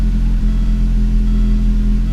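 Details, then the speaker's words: 1987 Audi 5000 CS Quattro turbo with CIS fuel injection, after injector replacement, restarted warm after cooling 20–25 minutes: catches immediately, revs out smoothly and drops straight into a steady, even idle with no lumpiness. Normal start and idle. "gosh that revs out so smoothly comes down to a nice even idle immediately right when you start it up there's no lumpiness that it has to resolve it's just right into a good idle"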